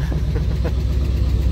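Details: Deep, uneven, lumpy idle on a truck with 204,000 miles, new plugs and wires, a new distributor and new lifters reported; it starts a little hard and shakes more than it should, cause unknown.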